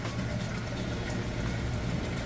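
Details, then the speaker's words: Whirlpool Cabrio HE top-load washer draining after the wash cycle before rinse: steady drain pump hum with water gurgling, draining fast, constant pitch, no rattle or grinding; working normally. "all right draining the water out moving into the rinse cycle you can hear it running that drain water nice and fast"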